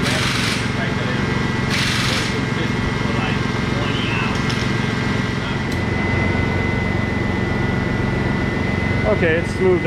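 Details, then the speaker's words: Teal Ford F-150 with 300 straight-six, after restoring spark from a failed ignition module and clearing flooding from cranking without spark: even, steady note, smooth rhythm, no misses or knocks; back to normal running. "it was probably flooded very badly from people cranking it me included with uh with no spark but now that's all cleaned out and it's back to its normal operating condition"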